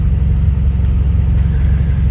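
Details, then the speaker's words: Full-VTA turbo car with new generic dual-port blow-off valve and Accessport, after rev during BOV adjustment: low, steady rumble settles to smooth, even idle, no hunting or stumble; AFR 14.5–14.85, good readings. "So I'm going to rev it again. Going back to normal. 14.5, 14.75, 14.85. So that's good. Those are good readings."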